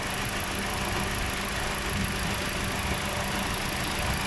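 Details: Toyota Corolla at idle: a faint, fairly even light knock rides over a steady idle, attributed to the alternator.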